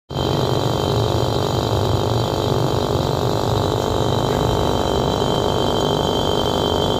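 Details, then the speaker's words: Refrigerator R600 compressor running: loud, coarse rattling drone staying harsh and constant. "जैसा कि आप लोगों ने स्वर्ण के आवाज सुनी है बहुत ज्यादा तेज आ रही है"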